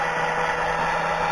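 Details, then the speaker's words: Hobby coil winder with new motor on rubber shaft coupling, counter running: steady even motor hum with faint whine, no knocks or scraping; normal running. "counter's counting away. Everything seems to be working."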